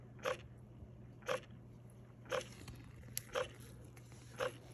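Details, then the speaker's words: Frigidaire side-by-side refrigerator FFHS2622MWF not cooling: damper motor energized, sharp click about once a second over low hum, damper stuck closed; iced vents, damper control assembly replaced. "I want you to hear the noise that it makes so you'll know what to replace even though it's getting it's being energized but it's just not opening so the refrigerator is not cold"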